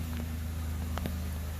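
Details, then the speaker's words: 2008 Saturn Aura with CAN bus faults, cold engine idling right after its codes were cleared: a quiet, even idle hum with faint ticks and no fan rush. The cooling fan is now off, since no U codes are active. "i rescanned it i'm rescanning it it's running and you can listen the fan's not on now the cooling fan is not on now"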